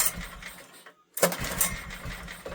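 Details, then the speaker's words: Old heavy Honda generator stored 20 years, air filter missing, petrol poured into carb, on choke: turns over with a few ragged firing bursts that don't catch; spark confirmed, carb issue from sitting suspected. "She's trying. I think that's safe to say we've got a spark."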